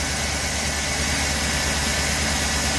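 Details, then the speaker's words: Truck with older 5.3 V8 idling: a steady even rumble with no valvetrain ticking; some belt chirp present, and the wobbling idler pulley chatters. "no valve train noise knock on wood just the loudness of an engine"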